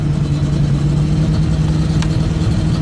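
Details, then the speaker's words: 1996 Ford F250 7.5L big block V8 after engine rebuild (new pistons, rings, camshaft; head gasket coolant leak); after cold start runs super rich, floods out, seems to lose compression; lumpy uneven idle, appears to be dropping cylinders; rough running. "so I got running again it's really not happy so it looks like it's dropping out cylinders"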